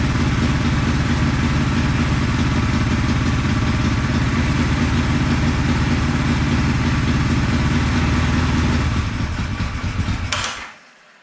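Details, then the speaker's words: 1974 Honda CB450 twin, sat for a couple of years after restoration, runs lumpy at a fast idle with a rough, spitting beat before shutting off; ignition timing is about 20 degrees off (retarded), found with a timing light. "I didn't have time to mess with it last night but the timing was way off like probably 20 degrees off"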